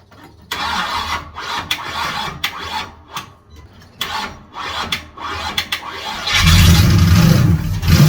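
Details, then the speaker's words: Newly built 350 Chevy V8 in an HQ Holden ute, first start with headers fitted: cranks in uneven bursts, catches, and settles into a loud, lumpy run; rough first start, timing needs adjusting. "I think that is one of the easiest first starts just uh put in a few pumps crank it over a bit run a bit for a while and warm off she goes have to play with the timing a bit"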